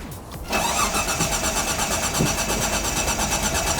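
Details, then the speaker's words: 1995 Mitsubishi FTO GR barn find, unstarted for 10 years, ignition barrel just refitted: the starter cranks in a quick steady rhythm but the engine never fires. Owner suspects the 10-year-old fuel is bad and the fuel level is low. "not starting yet. But we got the car cranking. That's the main thing. I'm thinking that the fuel could be no good."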